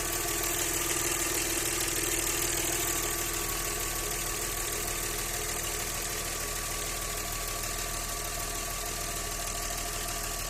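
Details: Audi 100 C4 2.6 engine idling with a steady light knock, about three per second, over the engine note; owner asks what is knocking, source unclear.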